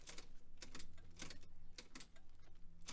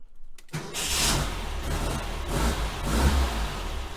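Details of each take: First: 1966 VW Type 3 Fastback, 6-volt, newly fitted hard start relay kit: sharp relay clicks over a low hum but no cranking, because a wire was pulled off the starter. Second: 1966 VW Type 3 Fastback, 6V system, new starter with a hard start relay kit installed and the starter wire reconnected: a brief quick crank catches almost at once and settles into steady running. Normal crank and start.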